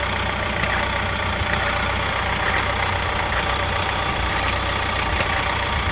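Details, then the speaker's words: 2018 Vauxhall Insignia 1.6 CDTI diesel at idle on MOT day: light uneven ticks about once a second over the clatter, an intermittent engine-front rattle; owner suspects the same chain noise heard before, cause unconfirmed. "it's mot day today and well a couple of days ago it made this noise again that is the same noise as what it made last time before all the change stuff started to happen"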